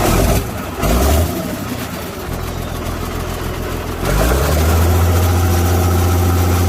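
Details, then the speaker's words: 1973 International 1066 tractor diesel after ground-up restoration (rebuilt engine, new injection pump, torque amplifier), 56 hours since: short crank catches, settles into even deep steady idle, no knocks or misses; healthy. "And we're going to fire it up next and let you hear it run and go through the gears and let you see how this baby purrs."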